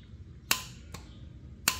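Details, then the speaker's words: John Deere X340 starter solenoid bench test, removed from starter case with plunger pressed in to close the gap: two crisp clicks a second apart as plunger pulls in; solenoid is working. "You Hear The Click and you can see that it's good but when you don't have this installed into the starter case itself this is going to just go full extendo on you and not work or seem like it's not working although the solenoid itself might actually be good"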